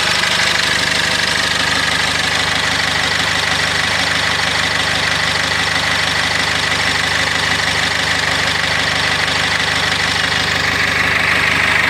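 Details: Cummins diesel in a GAZelle Next: a regular knock, about three a second, over a steady idle. The knocking started after a level dropped and is being checked while revving. Cause not pinned down.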